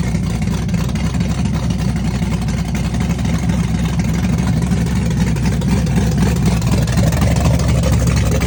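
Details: Chevrolet S-10 with a big cam on open headers, cold start with Holley red electric fuel pump: loud, choppy rowdy V8 idle loping about four times a second with deep exhaust bark; cam exhaust lift 480/488, advertised duration about 297; normal lumpy cam idle.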